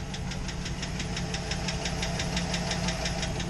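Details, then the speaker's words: Truck engine idling cold with a crisp, steady ticking over a low idle. This is lifter tick on a cold engine, and it goes away once the truck warms up. "It's that, lifter tick. And it goes away once the truck warms up, but, you know, it is what it is."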